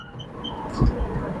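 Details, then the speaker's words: Car driving in fourth gear around town right after a transmission gear lube change; thin high chirps come and go over low cabin rumble, an intermittent squeak in the cabin not yet tracked down. "Throw it into fourth. That was smooth. Mhm. Got a squeak in here. Can you hear that?"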